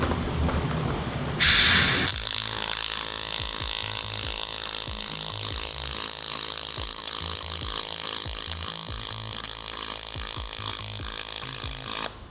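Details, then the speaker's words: Pulsed MIG with spool gun on thin aluminium, auto-set pulse: steady crisp arc crackle with slow even throb around 40 Hz, pulses slowed to keep heat out of the material. Normal pulsed MIG arc on thin aluminium. "I mean that sounds like 40 Herz or something you know this really the pulses have really slowed down because they're trying to keep all that heat out of the material"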